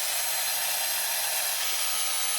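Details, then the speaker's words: Dyson Airwrap that cut out after about 5 minutes, after clearing a carpet of fluff from the motor inlet: smooth, steady full-fan airflow hiss with no rattle, flutter or strain, much quieter than before; normal fan running after repair. "That is so much quieter. So yeah, I'm 100% sure that you can all hear the difference, the before and the after."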